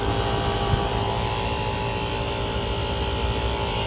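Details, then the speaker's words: 2014 2-ton Concord outdoor AC unit running again without a new compressor (possibly a hard start added): rough, uneven droning with a harsh rattle over the hum; noisy failing compressor that needs replacing. "That sounds terrible. That one's running too. Yeah, that definitely did not get a new compressor. Definitely needed a new one."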